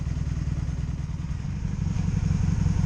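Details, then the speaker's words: 2002 Honda Magna VF750C V4 during a rebuild, after a choke-out cold start with the choke held open as it springs closed, warming up. A steady, deep idle pulse with no misses or knocks. Normal idle. "Kind of gotta have to hold it open because it wants to spring back closed. Hold it open. Alright, let me wait till it gets warm."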